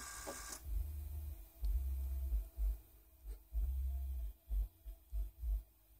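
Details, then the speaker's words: 2008 Toyota Prius in ready mode, brake pedal pumped; short low hums in uneven bursts after each pump; brake accumulator pump cycling, cause unclear. "it is in ready mode let me pump the pedal a couple of times that does seem to have an effect"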